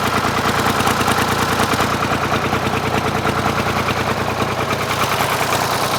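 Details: Ford 4000 three-cylinder diesel tractor before injector replacement, running on two cylinders with the front injector misfiring; uneven, loping chug about three beats a second with a missing beat: dead cylinder misfire.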